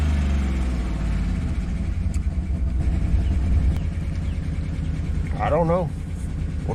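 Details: 2013 Chevy Tahoe V8 (ex-police, with DOD) stumbling at idle with an irregular low pulse; scanner shows multiple-cylinder misfire, throttle position sensor, cylinder 1 and 4 deactivation codes; good oil pressure; owner suspects a bad DOD lifter, unconfirmed.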